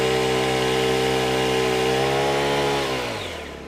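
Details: Honda WJR4025 backpack sprayer, GX35 four-stroke petrol engine, spraying; steady smooth high-revving drone holds even, then winds down near the end. Praised as a soft, smooth Honda sound; normal clean engine running.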